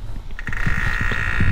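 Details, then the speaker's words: BMW cold start with the radiator fan stuck on high, coolant topped up: uneven low croaking pulses under a thin whine from the electric water pump, no coolant from the weep hole; the pump is bad and needs replacing. "coolant level is full but we have no coolant coming out of the weep hole this car is going to go ahead and need a pump"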